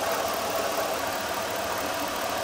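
Idling engine with a steady, thin rattling whir from the belt-driven accessories; a worn AC compressor is rattling.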